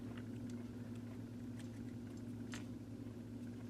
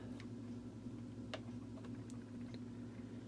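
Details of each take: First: Vintage Sears variable timer, model 796.66400 (Intermatic D111 type): low steady electrical hum and clicking as the motor tries but won't run; main drive gear has missing teeth, stalling the timer. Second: Sears variable plug-in timer model 796.66400 (Intermatic D111 type) after replacing disintegrated main drive gear: low, steady electric hum with faint ticks, timer motor starts five times in a row and runs smoothly.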